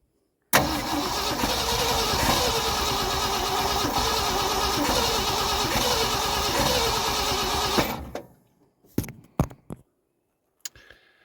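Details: 1974 Ford truck with FE 360 and rebuilt Motorcraft 2-barrel carb, not run since November: starter churns about three beats a second for seven seconds without firing. Carb dry; suspected fuel pump, clogged line or filter, or out of gas.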